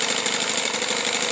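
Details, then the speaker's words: Johnson SeaHorse 15 hp two-stroke outboard, in for service and due a tune-up: a steady, even buzz with a light high rattle and no knocks or misses. It runs nicely and quietly. "you can hear it's quite a nice quiet running motor"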